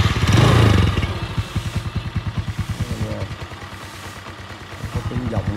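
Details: Yamaha Sirius 110 Fi, about 26,000 km per owner, after full engine rebuild with new clutch assemblies and thicker-than-stock clutch linings: even low idle putter about three beats a second, no knock or rattle; quiet, healthy normal idle.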